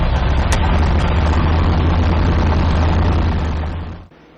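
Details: 1972 Chevy Nova drag car after transmission fluid drain and diagnostics (had been locking rear wheels on 2-3 shift): deep, steady, even rumble held in gear about four seconds, then cut; trans brake holds, gears all working, driveline fine.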